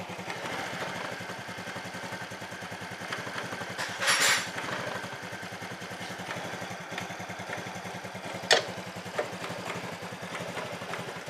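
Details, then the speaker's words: Carbureted Honda Vario scooter with fuel-hungry, surging throttle: fast, slightly uneven putter at idle wavering in evenness; instability traced to faulty spark plug. "Saya masih merasakan ada suatu keanehan ya di manana keanehannya adalah kestabilannya ini ya kestabilannya ini"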